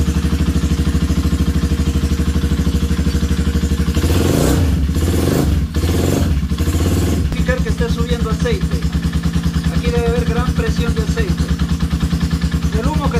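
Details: Honda CB250 motorcycle, which had a strange dragging noise when cold, after repair of suspected loose cam chain guides: even single-cylinder thump about three beats a second with no top-end clatter. The slight vibration is because the engine is held by only two bolts.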